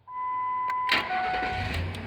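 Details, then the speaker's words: 2003 Ford Expedition starting normally after the faulty PCM relay (203) was swapped with the fog lamp relay (202); a steady chime, a quick crank and a clean catch, with none of the fuse-box buzzing heard before. "and when you try to turn the key nothing happens but with a new relay no sound and"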